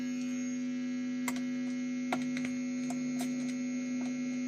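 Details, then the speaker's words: Squier Stratocaster, a pupil's guitar, strings detuned, plugged in before the pickguard is removed; input jack contact checked and found bent in enough. Loud, steady, very noisy low buzz under faint taps; mains hum on the signal, cause not yet confirmed. "So, the guitar at the moment, I'm going to get this turned on, sounds like this. Very noisy."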